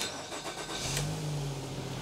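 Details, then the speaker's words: 2010 Nissan X-Trail T31 2.5 L after alternator work, which had a noise and no charging: fires and settles into a smooth, even idle with no whine or chirp; no battery light, 14.4 V charging. "Yeah, that sounds a bit better. No battery light, which is good."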